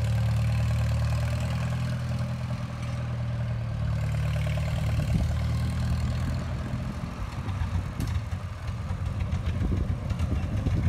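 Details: 1954 Farmall Super M tractor, hood off, bought at auction as non-running, warming up with oil pressure pegged. Deep, steady low thrum with even firing, no knocks or misses. Normal running.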